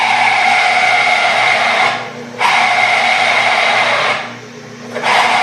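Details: Small lathe drilling a go-kart rear-wheel part with a smaller 5/8 inch bit, after the 3/4 inch bit overloaded it: steady, even hiss and whir with two short easings of feed, no chatter or grabbing; drilling cleanly.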